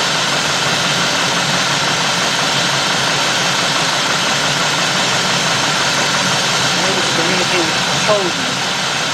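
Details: Warm 2000–2005 GM 4.6 V8 (Cadillac DeVille class) that runs rough and surges at idle, worse now. Uneven loping idle, irregular stumble under a steady hiss; lean rough running from an intake air leak.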